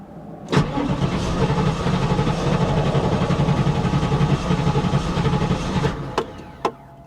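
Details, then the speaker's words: 1994 Pontiac Firebird Trans Am, on a booster pack with the fuel pump heard: starter churns steadily for about five seconds with no catch. Gauge read almost empty; owner suspects it is actually out of gas. "Could that be it? It's almost on empty. Not quite on empty, but it's almost on empty. Could it be the gas gauge is just off a little bit and it's actually empty?"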